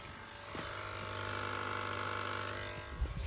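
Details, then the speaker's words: UF100 milling machine, being converted from 400V to 230V, at its first power-up. A contactor gives a steady low electrical buzz with fast chatter. The cause was a wiring error: 12 V was supplied instead of 24 V control voltage, so the transformer output was too weak. "On entend un truc qui fait bip derrière, mais enfin qui fait un bruit bizarre."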